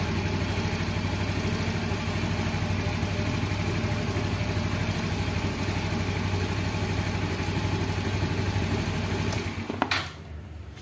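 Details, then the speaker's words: Yamaha X-Ride fuel-injected Blue Core scooter after throttle body cleaning and scanner reset: even, settled low idle with no hunting or misses until the engine is switched off; idle speed correct. "Oke sudah selesai oke Ini hasilnya Nah ya stasioner sip untuk stasionernya jangan terlalu tinggi jangan juga terlalu rendah"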